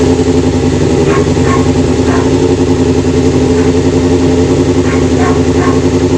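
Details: Kawasaki GPz 400 motorcycle with a hard-start issue and an overflowing carburetor: the engine runs at a steady but somewhat uneven speed with faint ticks on top; fuel mixture trouble from the overflowing carb suspected.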